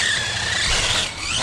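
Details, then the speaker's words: RC truck with 4000 kV HDI motor on a 2S battery, part throttle: high thin squeal wavering and shifting pitch with motor speed over a whirring drive; no cogging, dry drivetrain spot suspected, owner may inspect diffs. "so it seems to be running all right besides the squeakiness but there's no Coggin"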